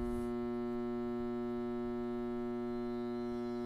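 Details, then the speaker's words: Goodman high-efficiency furnace, thermostat cycled on a cold winter morning (house at 57°F): steady loud electrical buzz with no air movement, three-blink code "pressure switch stuck open"; draft/inducer motor energised but not turning, failed and replaced. "when I cycled the thermostat I came down here and I heard the furnace buzz but I didn't actually hear any air moving"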